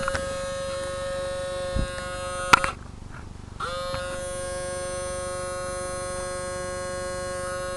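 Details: RCA CMR300 VHS camcorder, recently acquired: steady electric buzz with a high whine, cut off briefly then resuming; tape transport jammed and tape won't eject; owner suspects the belt broke off.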